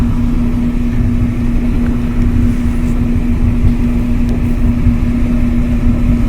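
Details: Kenmore dryer after repair, support roller wheels replaced: really smooth steady hum and even tumble, no clickety-click, sounds brand new; normal running.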